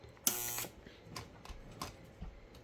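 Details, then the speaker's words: Lionel train car with electro-coupler: half-second electric buzz then light clicks as the coupler solenoid pulls in and uncouples; working normally. "you can hear it buzzing for the uncouple. There we go. Uncouple."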